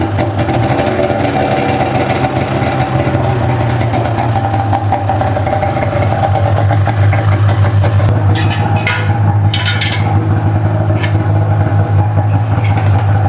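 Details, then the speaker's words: Ski-Doo two-stroke snowmobile, 17,000 km, just rebuilt with new pistons and gaskets, fresh synthetic oil, coolant topped up, on choke after first start: steady even idle, smooth low drone, no knocks or misses; healthy. "She fires right up though, she sounds really good."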